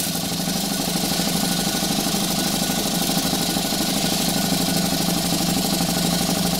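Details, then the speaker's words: Stuart 4 steam engine under live steam at 13 psi, speed raised somewhat: quick even chuffing at about three beats a second over a steady hiss, putting out lots of steam; running smoothly. "I don't know what the recommended uh RPM for this engine is but we're gonna crank it up a little bit watch it run sure puts out a lot of steam"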